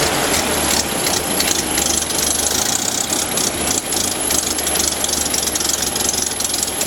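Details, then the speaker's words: Model A Ford original engine, carburetor not rebuilt, running on bare chassis without body during restoration: old four-cylinder ticking over with a busy, even mechanical clatter and no missed beats; healthy idle. "I'm really pleased the old engine is doing as well I haven't rebuilt the carburetor but I think we'll get we'll get some good service out of this old engine even even as it is"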